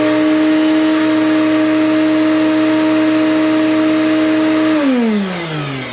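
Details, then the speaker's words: Commercial shop vac after replacing the failed top-plate bearing: a clean, steady motor whine with suction and no rattle or grind, then a smooth, even wind-down after switch-off. The motor sounds healthy. "that sounds a lot better than that old mechanism that was in there make sure it's sucking it's sucking it sounds so much better it sounds a lot healthier"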